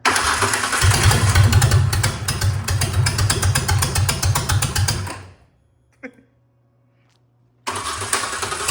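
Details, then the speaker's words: Ford Ranger race truck after EGR block-off, still backfiring: uneven lumpy firing about four pulses a second, dies and restarts; runs better than before but terribly. Owner suspects it needs plugs, wires and possibly a mass air flow sensor. "So, does run better. Still runs terrible, but but I think I know what's wrong with it. It really needs a tuneup."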